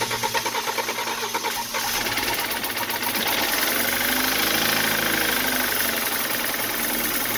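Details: 2013 BMW 328i F30, N20 twin-turbo, 122k miles, diagnosed blown head gasket, restarted after parts cleaned with fresh oil and filter while warming up: rough running with a fast uneven rattling knock about three a second over a busy engine note; owner suspects a cylinder-head problem, cause unconfirmed.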